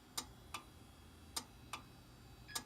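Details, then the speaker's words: Dell Dimension 3100 with a replacement 160 GB Western Digital hard drive: sharp, irregular clicks, five or six in three seconds, over a quiet hum. The drive is likely failing. "It's very clearly the hard drive, and probably another bad hard drive, but for a different reason."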